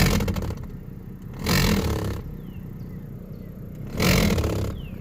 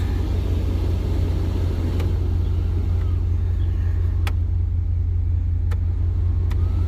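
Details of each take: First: 1994-2002 Dodge Ram 1500/2500 with AC on high and medium fan speeds: rough scraping flutter surging about every 2.5 seconds over fan rush as a broken blower wheel piece slaps inside the housing; broken blower wheel flapping. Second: 1994–2002 Dodge Ram, AC blower on high after replacing the blower motor fan that made an awful noise: steady low rumble with no rattle, scrape or whir from the dash; quiet blower, fixed.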